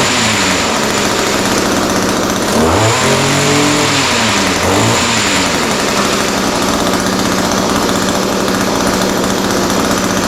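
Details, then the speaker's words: Echo SRM-210 two-stroke trimmer after a kit repair with new carburetor, primer bulb, fuel lines and air filter, plus slight carb adjustment: starts easily, crisp buzz, revs and settles cleanly without bog; fixed. "all right so that sounds pretty good uh started fairly easily needed just a little bit of carburetor adjustment um but starts easy now runs good"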